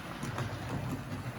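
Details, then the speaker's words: Wrenn 8F model locomotive Ringfield motor, gently run-in after repair so the brushes re-bed: quiet, even low hum with no catches or rattles; normal running. "I'm going to leave it running so you might hear it in the background if the camera picks up the noise of the logo it is quiet but this is going very nicely"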